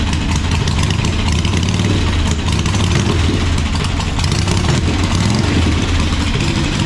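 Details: 1985 Harley-Davidson Sportster Ironhead V-twin, sat outside a long time, first run: loud lopey potato beat, fairly steady as it settles toward idle; normal idle, runs cleanly, sounds like a good motor though the oil filter was destroyed.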